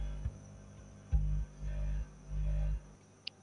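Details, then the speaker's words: OCL power amplifier with jengkol transistors, one channel dead, crackling at volume, after repair and new volume pot: still a low mains hum swelling to a heavy boom when volume is raised; tone control shares one power supply output. "Suaranya masih dengung teman-teman ketika volumenya itu dibesarkan jadi masih timbul ngebrom"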